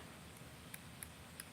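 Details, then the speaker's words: BFS baitcasting reel drag clicker sounding muffled: a few faint, thin ticks, roughly three a second, barely above the room. Far too quiet, inaudible on the water; owner suspects something needs bending or tweaking. "but they're so freaking quiet. Not good."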